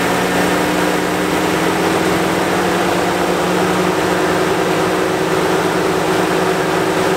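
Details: 2014-2019 Chevy Silverado/GMC Sierra idling: loud constant rushing roar over quiet idle; radiator fan running on high as during new coolant temperature sensor (GM 12608814) test, as when the faulty sensor stuck at 160 kept it on.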